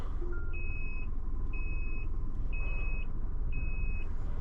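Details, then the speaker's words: High beep about once a second, half a second long, over low engine rumble: vehicle's emergency SOS alarm stuck on, continuing even after the vehicle was switched off and pressing it won't stop it. "ഇപ്പം ഈ സൗണ്ടും വെച്ചിട്ടുണ്ട് customer ചോദിക്കുക എന്താണ് ആ sound ഒന്നും ചോദിക്കുമല്ലോ. ഷേ, very very bad. സൗണ്ടൊന്ന് നിന്ന് കിട്ടിയിരുന്നെങ്കിൽ കൊള്ളായിരുന്നു."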